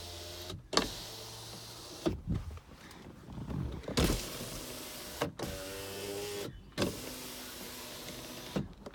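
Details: 2007 Toyota Camry, 2.4 four-cylinder, automatic, 121,583 miles: several short power window motor runs, each a steady whirr ending in a soft thump as the glass bottoms out; windows working normally.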